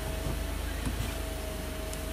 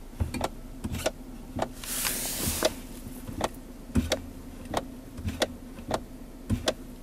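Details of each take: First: 2011 Kia Sorento idling after repair: low, even hum with a faint steady tone, and the years-long clicking at the gear shifter when the brake is pressed is gone; fixed with an O-ring on the shifter lockout lever pivot shaft. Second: 2011 Kia Sorento, engine idling, sharp clicks often in pairs from the center console shifter with each brake press; shift lockout lever, fixed with an O-ring on its pivot shaft, solenoid not replaced.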